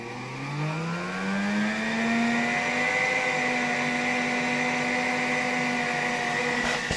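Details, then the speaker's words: 1959 WZ-factory vacuum cleaner, motor about 130 W, on a 1992 Ukrainian RS-6-220 triac voltage regulator: whine climbs as voltage rises, then briefly jumps in pitch; owner suspects a voltage spike at one knob position. "tutaj w jakimś położeniu mimo że zmniejszał napięcie silnik tak jakby na chwilkę przyspieszał tak jakby dochodziło tam do jakiegoś skoku napięcia"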